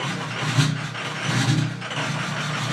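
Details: 2005 Ford F250 6.0 Powerstroke diesel, 150k miles: idle surges and dips unevenly, a rough idle and start; the FICM read about 20 V or lower against a normal 48 V, a failing fuel injection control module.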